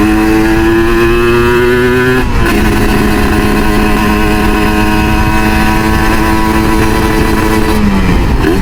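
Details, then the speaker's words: Kawasaki Ninja RR two-stroke with Moto1 ceramic 59mm block and PWK KX85 carburetor, rejetted up from standard-engine PJ 52/main 152 that ran rich; crisp raspy burble, slight dip and recovery, light even four-stroking; jetting sounds right. "Oh, enak nih berebetnya, serak-serak basal gitu deh. Dua tak tuh kalau nggak berebet tuh nggak enak tuh. Kalau mau nggak berebet mah pakai 4 tak aja. Pokoknya kalau 2 tak tuh berebet."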